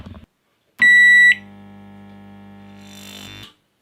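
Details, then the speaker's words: Microwave oven powered on remotely with the microphone placed close: short beep, then a steady low transformer hum for about two seconds with no fan rush. The cooling fan did not run; the fault is the relay, and the fix is replacing it. "Bueno, ahí lo pudieron escuchar que entra en funcionamiento y el ventilador no funcionó. Así que el problema está en el relé, lo que hay que hacer es cambiar el relé."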